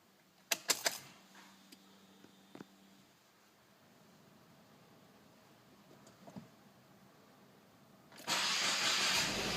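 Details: 2015 Subaru WRX (FA20DIT) cold start in rainy weather: clicks, brief crank, then a loud cold fast idle running a little rough until warm.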